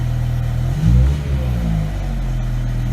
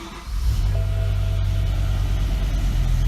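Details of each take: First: BMW E63 M6 after replacing the cylinder 4 coil pack and spark plug for a misfire and resetting codes: a deep, even idle with one quick blip, settling back smooth with no stumble or miss. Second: BMW E63 M6, cylinder 4 misfire fault, no spark on that cylinder: uneven, lumpy idle with a deep rhythmic stumble as one cylinder drops out; a failed ignition coil is suspected.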